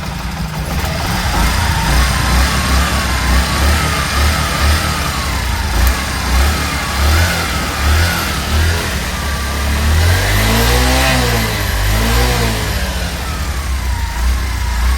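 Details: Bajaj CT100 back from a Ladakh trip, engine rebuilt with original Bajaj head bearing, cam chain and clip plate: clean idle, then revs rise and fall smoothly with no rattle, knock or chain slap; healthy rebuilt engine.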